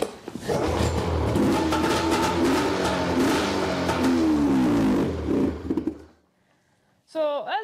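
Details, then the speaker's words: 2006 Arctic Cat M7 snowmobile, pull-started, had died while riding: catches and runs a few seconds with uneven wavering revs, then bogs and dies; stalling after start, owner suspects a leaky injector, cause not found. "that's what it does it starts up and get it to run for about that much time and then the bogs out and then I probably won't be able to get started again"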